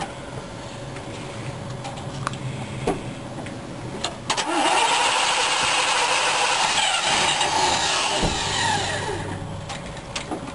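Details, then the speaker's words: Rebuilt engine with a points distributor, first start after oil priming, choke still on and not yet warm: it cranks, catches and races at a high idle because the ignition timing is too far advanced; retarding it slows the idle. "this is how you change the timing Advance it a little bit you hear the car running faster and then if you go the other way it'll slow down cuz it's going it's retarding the timing"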